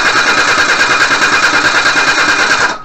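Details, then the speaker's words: 1988 Suzuki Vitara 1600 wide boy auto, carbureted, off the road since 2004, cranked during a spark check. Fast, even starter cranking that never catches, stopping after about three seconds; spark is good and no fuel is suspected, later traced to the fuel pump. "got a good spark nice and turn off the ignition and uh I'll put that back in there so looks like we've got no fuel coming"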